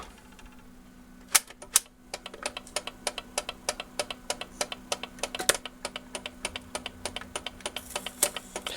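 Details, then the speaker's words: 1970s–early-80s BSR record changer after repair, running at the 7-inch setting with the motor reinstalled: a low motor hum with quick, sharp clicks about three times a second, a bump from the idler wheel. "Oh no, that must be the idler, that noise. That's the idler."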